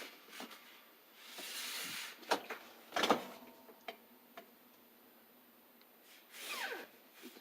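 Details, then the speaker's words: LG WT1501CW direct-drive washer, about two years old, not powered: turning the drum slowly by hand gives rubbing and short high-pitched squeaks rising and falling with movement; clothes' weight seems to worsen it; drum squeak, source unclear. "the squeaking? Let's put some pressure on it. Whoops. I put some clothes in. I think the weight helps make the squeak."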